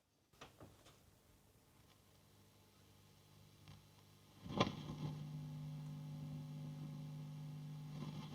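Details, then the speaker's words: Tube amplifier master volume swept with audio boosted: steady low hum with scattered crackles and rustling around 8 on the dial, nothing at 3; scratchy potentiometer, to be cleaned. "Okay, so it's still a little bit of rustling and crackling around 8 on the dial. I certainly can't hear anything around 3. But definitely something at the top end."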